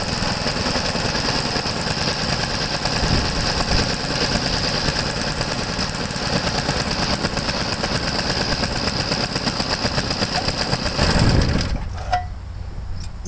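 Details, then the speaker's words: Vintage Briggs & Stratton 3 hp single-cylinder engine, unrun about 15 years; hard fast rattly drone flat out until cut, won't ground out, governor can't control it; throttle stuck open, suspected from rust: overspeed. "won't even ground out to shut off it's running way too high of rpm way too high was running full square"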